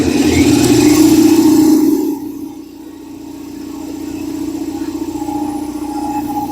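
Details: Old belt-driven air compressor revived after sitting a long time, oil filled to max, first test run: steady pumping thump about four times a second with even hum while building pressure; quieter than a Harbor Freight unit, belt maybe needs tightening; normal running.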